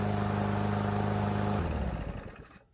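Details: Troy-Bilt TB110 mower with Briggs & Stratton engine, after sitting a few months and stopping, being repaired; engine holds a steady, even chug for over a second, then is shut off and coasts down quietly; normal running.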